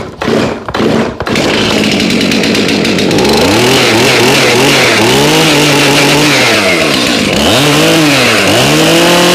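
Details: Two-stroke chainsaw with a very loose chain, cold start around 30°F after months stored on ethanol-free fuel without stabilizer: a few pull-cord rasps, then fires and revs cleanly with crisp even buzz; normal running.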